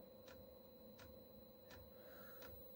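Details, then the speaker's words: Chinese diesel heater fuel pump being primed with clean diesel to flush old oil from pump and pipes, heater not fired: faint sharp ticks about every 0.7 s over a quiet hum as fluid travels up the pipe; normal fuel pump ticking. "ticking again. The fluid is travelling up that pipe, if you can see that bit. It's forcing it down this pipe, look."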